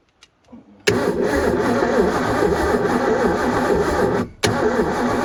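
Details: 1989 Supra TS6M ski boat, once sunk and long abandoned, about 1300 hours: steady starter whirr about three turns a second, pausing and resuming, no firing. Ignition contact points badly corroded.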